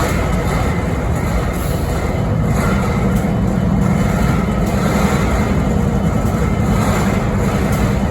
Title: Strange Noise on BNSF 5910 idle’s in Springfield Missouri 11-13-2022